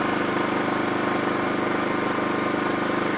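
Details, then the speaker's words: New TACKLIFE 1800 W (2250 W surge) inverter generator, eco mode turned off for AC use: steady, even engine drone with light regular pulse, no knocks or misses; quieter than owner's Champion; running normally. "And to me, this is so much quieter than my Champion. Already I can tell."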